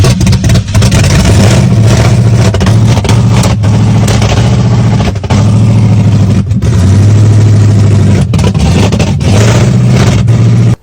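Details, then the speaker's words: 1987 Pontiac Firebird Trans Am, first start after sitting in a field about 20 years (since 2004), rebuilt with new rockers, rods, lifters and oil pressure sending unit: fires and revs with a deep, even V8 beat, no knocking, running cleanly. "so that was actually pretty exciting probably most exciting part about the build"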